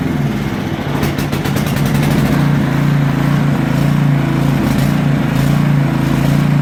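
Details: Even, steady single-cylinder chug at constant speed with brief light ticking early, no misses, from a 1992 Craftsman 917.256820 lawn tractor, 12 hp Tecumseh, cold start after refuelling (suspected low on gas); runs normally.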